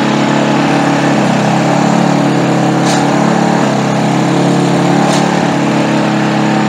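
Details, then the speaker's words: Earthquake/Predator Versa tiller, single-cylinder, started on full choke and full throttle after sitting unused, with the air cleaner off and some internal parts repaired. A steady, even buzzing beat with no misses or knocks. Runs normally. "and she sounds pretty good looks like we did okay on this deal"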